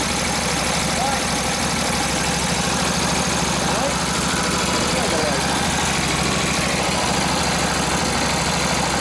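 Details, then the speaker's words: Harley WL 45ci flathead V-twin, 1939-40 3-speed, 16" star hub drum brake: loud continuous roar near full throttle with brake buried, no stumbling; took the load, normal running, after fixing a bad fender ground. "yeah yeah that was about almost full throttle there the brake on yep had the brake buried in still Full Throttle till it it loaded up took the load so yeah a good sign"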